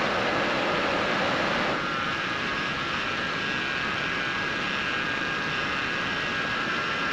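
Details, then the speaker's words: Gen 3 Dodge Ram with LPG and 105,900 miles, just after its power steering pump was replaced; a steady high whine over a smooth engine hiss. Quieter than before, but the power steering pump still whines. "Seems a lot quieter already. There's still a lot."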